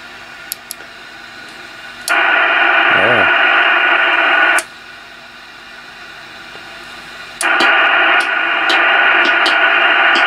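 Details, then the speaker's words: Icom IC-745 HF transceiver on dummy load, AF gain wide open: stepping through bands, loud hiss on some drops to near silence on others; dead bands traced to misadjusted PLL trimmer capacitors (6pF/12pF) near C78. "so what this is telling me just by listening to the receiver and running through the bands that you can see some bands are working some bands are"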